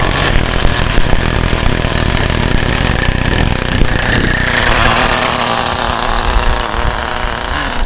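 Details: Acme Condor Pro A3001T 1/10 nitro RC buggy, circa 2002–2005, unrun for almost 20 years, engine preheated, started first time: high buzzing two-stroke revving and settling, smooth with loud rattly exhaust, running well after long storage.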